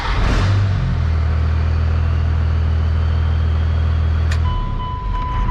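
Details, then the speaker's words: 1998.5–2002 Cummins diesel with VP44 injection pump, hot at about 190° operating temperature, in neutral, after fix for hot hard-start issue: brief crank, fires at once into steady even idle; starting quicker than before. "so far it's just starting right away it's actually quicker than it has been foreign"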